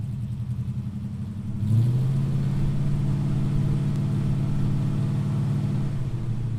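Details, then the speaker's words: 1968 Ford Mustang during a pre-purchase inspection, cold engine cranked without pressing the accelerator: short crank, fires right away and drops into a steady, even low idle rumble, not revved. Normal cold start and idle. "okay great startup it's pretty much fired on the click of the ignition I don't rev it up too much right now because the engine is cold"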